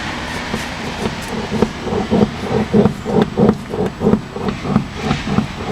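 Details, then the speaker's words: VW Passat B5 with the car body rocked by hand; dull, hollow knocks repeat about every two-thirds of a second from the front suspension, apparently on both sides; cause unconfirmed. "если сейчас покачать ее можно услышать этот звук"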